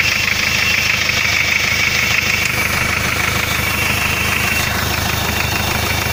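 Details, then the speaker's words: Hyundai 2.5 TDI diesel idling with steady knock about three per second plus faint high whistle; no knock cold, light valve-like knock appears when warm; spun rod bearings found on cylinder 3 after turbo failure. "начинается появляться легкий стук как будто стучит клапан с увеличенным зазором в итоге снял поддон в шатуне 3 го цилиндра провернуло вкладыши"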